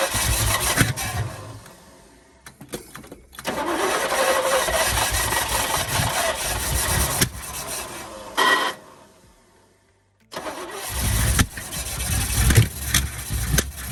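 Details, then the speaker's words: 1972 Chevy K10 4x4, 350 V8, sat 20+ years: catches and runs rough, sags, cuts out, restarts and stumbles again; won't keep running; owner thinks he flooded it and suspects fuel delivery. "I think I flooded it, but give this thing a second to sit down."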